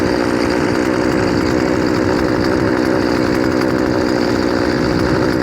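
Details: Poulan 2500 Farmhand saw (same as 2900), now running .325 chain instead of 3/8 low profile, cutting wood: high steady two-stroke buzz holds speed under load without bogging or surging. Normal running under load.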